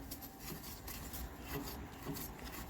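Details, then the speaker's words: Turbocharger from a 24-valve Cummins diesel teardown, spun by hand: a continuous dry scraping rasp instead of a smooth whir, from a dry, worn shaft bearing; a second turbo sounds in better shape. "that bearing sounds super dry"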